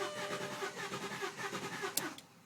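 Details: VW Passat B5 V6 left sitting a long time, battery replaced: starter cranks it in an even pulsing rhythm for about two seconds but it never catches; trying in neutral with a little gas didn't help.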